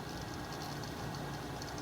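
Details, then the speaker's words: Fluke 199C ScopeMeter cooling fan, unit resting on surface: rough, gritty whirr with uneven flutter and felt vibration, rubbing/ticking; fan hub suspected wobbling in worn bearing, more pronounced at different angles; original fan discontinued. "but I can definitely feel a vibration when that's running it's not very smooth so again I think that Hub is vibrating and kind of shaking around in there"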